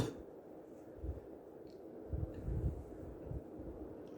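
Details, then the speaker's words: New 52" Harbor Breeze Armitage ceiling fan running on high. It shakes a little, with soft, low whooshing air-whip thumps about every second over moving air: normal operation on high. "so here's hi it does shake a little bit but it's still a big concern and you can hear the air Whip and thumb pretty loud"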